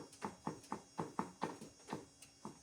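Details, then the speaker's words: Low-mileage car that jerks and knocks when pulling off, CV joints checked and seem fine, gearbox removed and turned by hand: sharp hollow clunks about four a second; owner suspects differential gears or satellites, or possibly the clutch disc, not confirmed. "Я кручу за два, щоби диференціал. Чи то на диференціалі? Так, щестерні вже."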